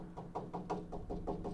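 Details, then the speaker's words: 1969 Dodge Coronet 500 sedan frame rail being tapped with a tool during restoration: about nine sharp taps, where a duller, lower-pitched tap means rust-thinned metal. Most of the rail is good metal. "Hear the difference? Hear the difference in pitch? That lower pitch is rust."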